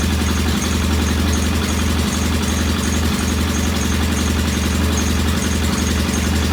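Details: Norton P11 vintage British motorcycle twin, first start after carburetor fully disassembled and old dead gasoline replaced with fresh; steady low idle beat stumbling unevenly every second or two; one carb's pilot jet not following adjustment, suspected partly blocked.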